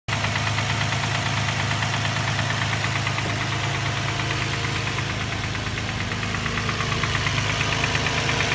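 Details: Infiniti G35 petrol engine at idle: steady, fairly regular knock of about three beats a second; owner thinks it comes from the transmission area, cause unconfirmed.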